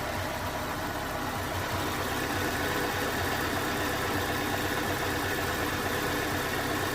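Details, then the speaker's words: 2011 Ford Ka 1.2 petrol with code P0203, warm idle: uneven beat with an occasional soft puff as if misfiring, though misfire is not yet confirmed; the injector was found faulty and replaced. "he's definitely he's doing his every now and then he Puffs a little bit as if it's missing"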